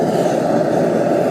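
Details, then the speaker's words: Gas forge burner after the gas leak was fixed, air control open for a blue flame, gas not at full pressure on an adjustable regulator: steady, even roar with no sputter or surging; normal burner roar, burning beautifully. "And there we have him. Burning beautifully."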